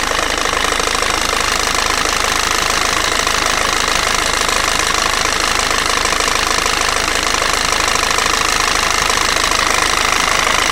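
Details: Peugeot/Citroën 1.6 HDi FAP diesel at idle: a sharp, even tapping two or three times a second over the clatter; the owner questions whether it is abnormal, and the knock cause is suspected but not confirmed.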